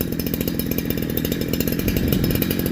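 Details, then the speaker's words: Farmertec Holzfforma G372XP chainsaw after fitting OEM Walbro HD12 carburetor, idle adjusted, air filter off: quick even two-stroke buzz holds at low throttle without bogging or dying, previously died; normal running. "so I couldn't do that before I couldn't just give it a little bit of throttle it would it would die out on me"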